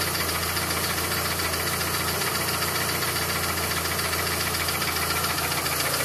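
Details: Mitsubishi Evo with reconditioned Evo 7 engine, 50,000 km, 5W30 oil: fast even ticking at idle, seemingly near cylinder 4, whose spark plug had a melted tip; ticking for about 2,000 km, cause unknown.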